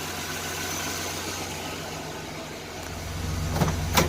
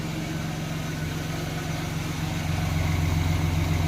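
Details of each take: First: 1990 Chevrolet Lumina Eurosport 3.1 V6: idle stumbles with irregular pops, clears when revved, intermittent misfire; bad injector or fuel pressure regulator suspected, not confirmed. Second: 1990 Chevrolet Lumina Eurosport 3.1 V6, long-sat and earlier misfiring, now running on fresh gas with fuel treatment. It idles smooth and even at about three to four beats a second, running on all six; temperature is okay and oil pressure good.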